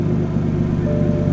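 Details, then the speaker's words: BMW M4 idling after new Delphi ignition coil packs and recent spark plugs: steady even rumble, no misfire so far, though the owner notes the intermittent misfire may return. "Honestly, so far, so good. Not misfiring, but again, like I said, this is hit or miss, so I really do not know if this is going to fix it."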